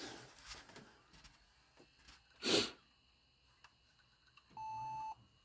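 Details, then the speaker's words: Toshiba Satellite 2595CDS laptop booting with a hard drive fitted: after light handling clatter, one clean mid-pitched beep of about half a second, with a CMOS battery warning screen (press F1); normal POST beep with CMOS battery warning. "So now I'm at the screen where it's saying the CMOS is battery, which is fine. So press F1 key."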